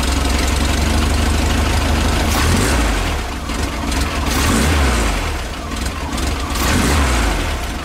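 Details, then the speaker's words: VW Type 3 engine with new 034 SVDA vacuum-advance distributor, vacuum advance applied: throttle blips rise and fall smoothly with no stumble, whereas without vacuum it stumbled like the old 009; clean off-idle response from advanced timing. "no stumble that's why you need a single vacuum a little Advanced distributor this is the reason for it"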